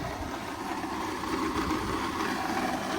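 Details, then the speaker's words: Repo car at auction at idle: the engine itself runs smooth, but a coarse, gritty rumble comes from up front with no clear knock; a bad AC compressor bearing or another serpentine-system bearing is suspected, unconfirmed. "But something is making a very rough noise. And it could just be a bearing. It could just be this compressor bearing for the AC compressor."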